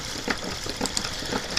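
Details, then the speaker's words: Late-1800s/early-1900s marital aid machine running normally: light, sharp clicks a few times a second over a faint whirr, a deliberate metronome-like ticking meant to relax, as the mechanism turns. "leave the room and you hear that kind of just clicking sound the machine makes kind of swill to have like a metronome effect and it's supposed to help the wife relax"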